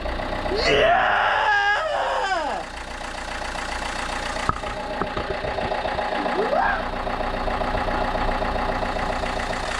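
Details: 1.9 JTDM/CDTI diesel running just after its first start following a snapped timing belt rebuild (new timing belt, water pump, rockers, pulleys, glow plugs). Steady idle with an even beat and no knocks or rattles. Runs smoothly and normally.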